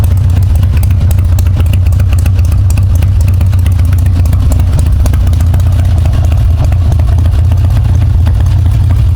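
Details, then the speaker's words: Harley-Davidson Twin Cam Dyna Glide (FXD), 39,000 miles, cold, after CV carburetor rebuild and intake manifold reseal: steady deep V-twin potato-beat idle, even with no stumble or hunting; cold idle far better than before, no fuel leak. "Cold idle's way, way, way better than it did before."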